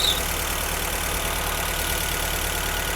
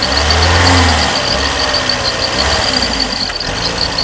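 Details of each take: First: Rare Mercedes W201 2.5-16V manual, parked for years, after repairs, running on a borrowed external 280 fuel tank: steady idle around 1100 rpm (over 2000 before, with idle motor stuck), loud hiss and worn-belt chatter, return flow 2.2 L; healthy. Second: Mercedes W201 2.5-16V manual, parked for years, hot, return flow only about 1.0 L (standard over 2): fast idle over 1000 rpm that surges and sags, unstable from insufficient fuel supply, and it will not rev high.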